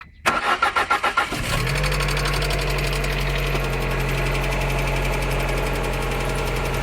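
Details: Lada Granta Sport engine starts and settles to idle with a steady rapid ticking knock throughout; source not identified.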